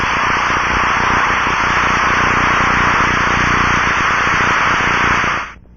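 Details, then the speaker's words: Ultrasound contact-probe check of an aircraft hydraulic check valve, heard through the detector's headphones: a steady, level hiss with no rhythm until cut off; internal bypass leak suspected, not confirmed. "to detect and pinpoint bypassing check valves in hydraulic systems and to internally check anything mechanical such as gears Motors pumps and bearings"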